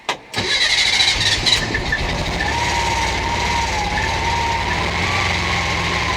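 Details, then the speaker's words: Air-cooled 1600 engine freshly installed in a VW bus, first key turn in the vehicle after earlier no-crank trouble: brief crank, then it catches and settles into a steady, even idle; owner notes leaks, rubs and a suspected intake leak. "my god you guys it runs it's got some leaks and some rubs it sounds like oh my god it runs the bus runs you guys"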